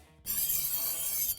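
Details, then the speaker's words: Nexxbike X5 Plus e-bike front wheel after installation, spun freely: steady hissing scrape of the disc brake pad rubbing the large rotor, fixed by loosening two bolts and realigning the caliper. "jeśli słyszysz jakiś hałas, hamulec może wymagać regulacji poluzuj dwie śruby zgodnie z instrukcją i wyreguluj zacisk, aby znaleźć idealną pozycję"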